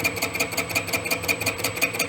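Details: Boring head truing an egg-shaped (out-of-round) clutch housing on a machine build; sharp ringing metallic ticks about seven per second, two per turn, as the tool pops on only the two high spots of the oval bore.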